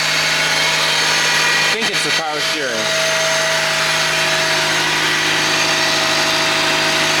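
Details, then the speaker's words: 1997 Honda Civic Coupe EX at idle: steady loud mid-pitched whine over an even idle, unchanging; owner unsure if alternator, suspects power steering pump, unconfirmed. "I hear something that's loud I don't know if it's the alternator"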